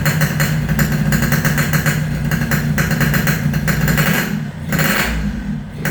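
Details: Yamaha RX King two-stroke after repairs for compression loss (worn right crankshaft seal and O-ring, resurfaced block, fixed head leak), test start while tuning air screw: crisp idle with throttle blips, revs rising and settling cleanly, no knocks or rattles.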